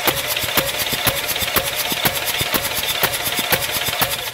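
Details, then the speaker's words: 2018 Mitsubishi Triton (L200) diesel, compression test before engine replacement, gauge on another cylinder for comparison: steady rhythmic chuffing about two beats a second as the starter cranks; first cylinder showed no compression. "vamos ver agora outro cilindro para fazer diferença de pressão desse aqui olha a diferença"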